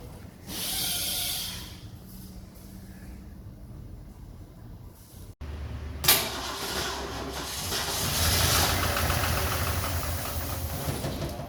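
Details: 1969 Ford Mustang Mach 1 with 351 V8, sat for decades, first start attempt: engine catches after a pause and runs uneven and lumpy, surging and fading, needing more fuel; rough running after long storage.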